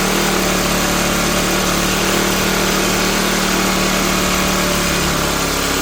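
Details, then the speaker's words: Cheap used Troy-Bilt backpack blower, unused this year, warming up on choke: a loud, buzzy run that won't hold a steady beat and hunts slightly. The owner finds the carburetor gummed up and plans to replace it. "Yeah, so carburetor's all gummed up. And I'm going to look this up and see about just replacing that"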